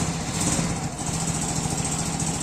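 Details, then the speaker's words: 110cc Cub-type single-cylinder motorcycle with a new carburetor (main jet 76, pilot 35), cold idle: quick, even putter with no misses; runs better than before. "the truth is that it feels impeccable much better even than how this bike was previously running"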